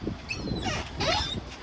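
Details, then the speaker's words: 2002 Audi A4 V6, abandoned and being restored: the driver's door hinge gives short, high-pitched squeals rising and falling as the door swings, before WD-40 is sprayed on. A dry door hinge squeak that lubrication stops. "And yeah, but first I'm going to spray the WD-40 on the doors. So the worst one's the driver's door. I'll show you."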